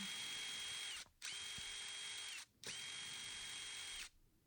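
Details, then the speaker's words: DeWalt impact driver trigger issue: motor whines up in short bursts with slight lag and on-off knock as it drops out; worn trigger switch contacts cutting power intermittently, fixed by working the switch, no parts needed. "difficult to hear unless you know what I'm talking about, but there is a slight lag and a slight little little knock on and off."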